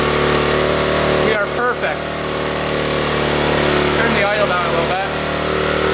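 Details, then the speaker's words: 1972 Honda CT70 that had a bad bogging problem, just after readjusting the points: small single settles into a quick, steady idle with an even putter and no misses; runs clean and smooth. "That's right where we want to be here."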